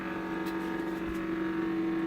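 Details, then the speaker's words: Refrigerator: a steady mid-pitched hum with a constant loud whir, located about two-thirds to three-quarters of the way up at the back and louder inside the cabinet; abnormal whirring, cause unknown. "not about uh two thirds three quarters the way up from the top right here that's where the sound's coming from but it sounds louder on the inside"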